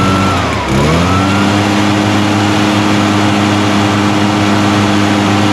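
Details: Echo PB-580T backpack blower, run outdoors after new recoil starter rope, new coil and kill switch fix: engine dips briefly then pulls to a strong, steady, even roar; starts easy, runs well, repair successful.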